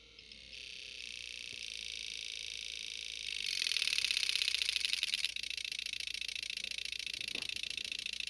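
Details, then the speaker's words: Gen2 Suzuki Hayabusa during secondary injector diagnosis: high thin rapid clicking builds to fast buzzing chatter; injector relays switching normally at about 13,000 RPM. "That's some pretty wild stuff. Those relays sound crazy at 13,000 RPM."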